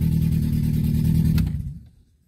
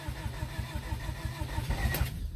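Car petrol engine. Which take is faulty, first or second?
second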